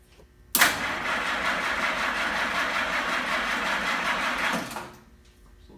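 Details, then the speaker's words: Restored 1942 Ford GPW Jeep, 6-volt system with added solenoid after slow-cranking complaint, about 50-55°F, key off; brisk, even whirring crank for about four seconds at steady speed; normal starter cranking. "six volt it spins pretty darn good"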